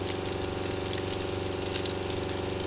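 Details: Small water pump on a DOT WUHT camper trailer, sucking from an external drum or creek through a 30-metre hose: fast, even buzzing pulse with water rushing through; draws steadily and runs normally.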